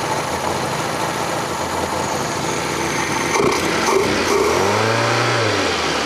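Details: Fiat Panda 4x4 Sisley, FIRE engine, first start after water pump replacement, cold on manual choke: steady even idle with smooth low throb and brief rev near end, no knocks; normal cold idle.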